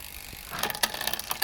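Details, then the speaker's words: Bicycle rear derailleur, barrel adjuster screwed back in but cable still too tight; quick cluster of light metallic clicks as the chain climbs a cog by itself: ghost shifting from overtight derailleur cable. "and now you can hear that it's still too tight because it's trying to ju"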